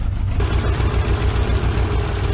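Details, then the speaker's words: Nissan 200SX S12 CA18ET at idle: low throbbing idle with an uneven pulse as one cylinder drops out, first sporadic then continual. Cylinder two found not responding; stuck or intermittent injector suspected. "it's picked up a misfire it's it's lost a cylinder I would say it did it sporadically and now it's done it pretty continually kind of sounds like an injector that's stuck or intermittent"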